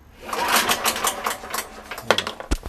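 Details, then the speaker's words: Petrol generator that suddenly ran oddly, puffed black smoke from carburettor and stopped: on restart attempts, irregular clattering and sharp knocks as it fails to catch; owner suspects a part broke inside. "Donc j'ai essayé de le redémarrer, mais à chaque fois que je le redémarre il fait ce bruit bizarre."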